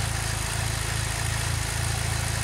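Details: 2006 Saab 9-3 2.0T, warm after several minutes running following valve cover gasket replacement, before oil change; even steady low thrum with regular beat, no ticks or misses; gasket job judged a success, normal idle.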